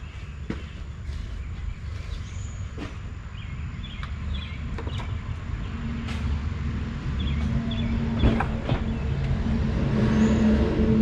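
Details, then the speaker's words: Lexus RX 300, towed in and just fitted with a replacement starter: engine cranks strongly, catches and settles into a steady, even low rumble with no knocks or misses, outdoors. Good strong starter; normal idle after the repair. "all right sounds like a good strong starter"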